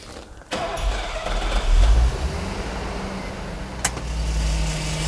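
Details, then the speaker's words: Mercedes-Benz R107 500 SL V8: starter catches quickly, engine settles into a smooth even rumble about 500 rpm with faint airy hiss from the idle valve; healthy. "But as you can see, the engine is beautifully smooth. It's ticking over about 500 RPM. Just lovely."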